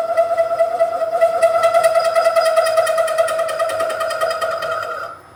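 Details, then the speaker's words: Boring bar extension with a 2-flute 12 mm end mill as cutter, opening a counterbore to 1 inch at much-reduced speed: a loud steady high-pitched ring with a rough pulsing edge during the cut. The boring bar chatters. "I've just done a couple of exploratory cuts as I'm just trying to open this counter bore up to 1 inch. It chatters fairly well, and I've slowed the speed right down."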